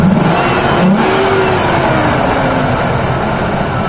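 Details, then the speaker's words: 2000 Ford Ranger 3.0 V6 after replacing the squealing upper idler pulley: clean rising and falling revs with no squeal or chirp from the belt drive; noise fixed, normal revving. "no more annoying pulley sound and it was really easy didn't even take that long"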